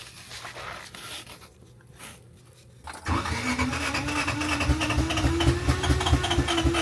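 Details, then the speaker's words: 1987 Honda CRX Si after a timing belt install cranks steadily at about four beats per second but never fires; the engine computer was found rusted and water-damaged inside, and a replacement computer later got it running. "Okay, so we got the timing belt installed. I got all this going. We've been cranking on it. Nothing."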